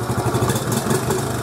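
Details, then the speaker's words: 1986 Honda TRX70 air-cooled single after a top-end rebuild, head bolts torqued to 9 ft-lb: small revs pick up cleanly and settle back with no stumble or bog and no smoke; normal throttle response. "seems to be good and responsive like I said no smoke super happy about that but yeah so wicked uh throttle responsive guys look I mean no flat"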